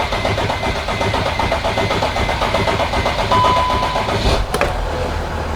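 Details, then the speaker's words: 2013 Mercedes Sprinter 3.0L diesel in for a severe oil leak, wrong 15W40 oil fitted; after cycling the key to fill the fuel filter, several seconds of cranking, then it catches and settles into an even diesel clatter; starts cleanly, with check engine and glow plug lights on. "So right there, the engine started. We're gonna ignore the check engine light for now."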